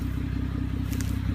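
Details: Loud, deep, pulsing idle with a throbbing rumble in drive that returns to normal in reverse, also loud uphill or accelerating; owner asks whether it is an exhaust leak or a transmission problem, cause unconfirmed.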